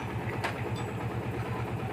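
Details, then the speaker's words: Yamaha Vixion Advance after repair of head oil starvation (torn seal replaced, old gasket cleaned, block kept): even single-cylinder putter at a steady low idle with a clean, regular beat and no tapping; engine quiet and healthy again. "adem banget suaranya guys bisa di kalian bandingkan sendiri pas pertama kita Nyalakan sebelum exekusi ya sekalian bandingkan sendiri kondisi awalnya gimana dan setelah dieksekusi dengan cara tadi dan hasilnya seperti ini gaib mesin kembali adem mantap wes"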